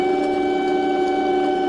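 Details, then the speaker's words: Small starter-generator bench-run off a 12 V lithium battery: steady even hum at one constant pitch, counterclockwise rotation, not very fast, no knocks, scraping or rattles; spinning freely and healthy. "there's what it sounds like and it's counterclockwise rotation counterclockwise rotation it's not real fast shouldn't be any faster than that with like a 12 volt set up on it"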